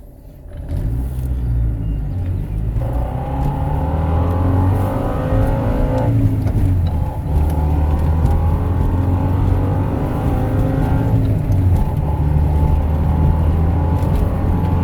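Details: Honda Civic EK after swapping in a used Del Sol S20 transmission for the S40, driving: whine climbing in pitch with road speed; bad transmission bearings suspected.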